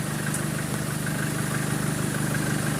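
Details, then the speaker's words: 2013 Chevrolet Colorado after the alternator pulley was replaced, aircon on, revved slightly: even engine hum with slight revs and no tick over it; the earlier ticking is gone, and running is normal. "Nawala na yung pitik-pitik nyo. Wala. Oo."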